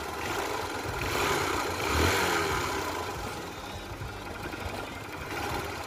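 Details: Honda Shine motorcycle, started and run: uneven, gravelly rattle over the engine note, loose and irregular under throttle; worn-out engine needing a full rebuild, also giving black smoke.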